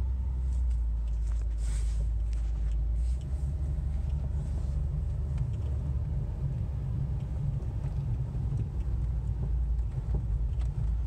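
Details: 2005 Buick Century at low speed: low, steady rumble under road noise with no clear rhythm; owner unsure whether it is a wheel bearing or the brake pads.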